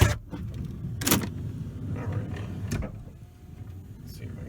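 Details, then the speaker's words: 2017 Kia Sedona left driver-side sliding door: low motor hum with uneven clunks and a labored stretch as the door binds; the latch lever fails to flip, and a failing sliding door actuator (part 81440-A9511) is blamed. "all right you hear all that noise so this is more of an annoyance"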